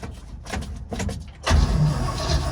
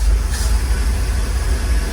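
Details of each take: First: 1948 GMC COE cabover truck after many years sitting, in neutral, clutch in, electric fuel pump on, primed with gasoline: after clicks, engine fires at about 1.5 seconds into a rough uneven low rumble; fuel pump audible. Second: 1948 GMC COE truck, first start after many years sitting, primed with premix fuel down the carburetor: deep, even rumble with no knocks, misses or rattles. It now runs on its own and sounds healthy, though it still needs a carburetor cleanout. Normal running.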